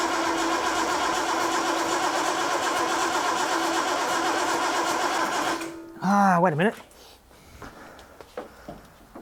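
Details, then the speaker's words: Datsun 240Z home-built engine, carburettors, fuel pump not working, coil disconnected: short starter whirr that spins then stops without firing; cranks but no start, no spark. "connect up the the coil again coils now connected again let's see that was no spark"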